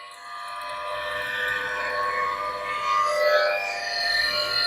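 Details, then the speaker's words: IBM 5160 PC-XT hard drive at first power-up after mouse-nest corrosion, mic held close: wavering, moaning tone drifting in pitch over the drive whir; it sounds awful, yet the drive boots to a C prompt and works. "Oh my god. Oh, but that sounds awful."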